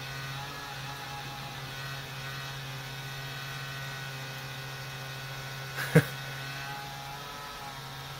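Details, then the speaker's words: Compaq PC with an FSP power supply, at startup: steady low drone with a buzzy whir as the power supply fan vibrates heavily, from dry fan bearings; needs oiling or fan replacement. "the power supply fan is vibrating like crazy"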